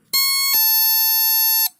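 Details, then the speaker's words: NE555 DIY electronic doorbell kit after assembly with a replacement 555 IC, on 9 V drawing 87 mA; pressing and releasing the button gives two frequencies, a bright buzzy tone then a clean slightly lower tone held about a second, working properly. "how is it working. If you press it and release, two frequency is generated."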